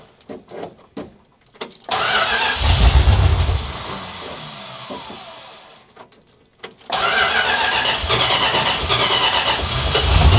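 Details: 1967 Dodge Charger 383 V8, first start in 15 years after new fuel filter and lines: cranks in bursts, catches, runs roughly and unevenly, stalls and restarts; vacuum leak, later found at a base plate that was a little too wide.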